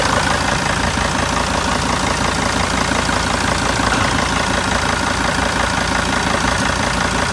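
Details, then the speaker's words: 2002 T1N Sprinter diesel van with 118,000 miles at idle: the galloping smooths out into a steady, even clatter with no hunting. Owner suspects an EGR problem caused the galloping. "hear the galloping there goes it just smoothed out"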